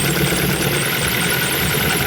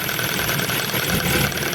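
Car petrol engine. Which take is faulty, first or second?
first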